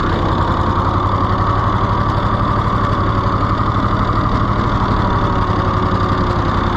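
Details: Rusty, neglected auction-bought Ford 4000 three-cylinder tractor just started: loud beat about four pulses a second, uneven lumpy rhythm that never settles; runs rough, governor seriously wrong with no throttle action, flooding suspected.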